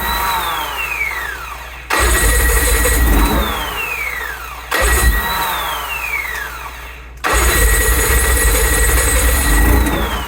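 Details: 2008 Evinrude E-TEC 90 outboard: three separate cranking attempts, starter whine falling in pitch, motor turns over but never catches; cranks but no start.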